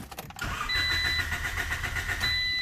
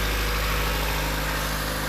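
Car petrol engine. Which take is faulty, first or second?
first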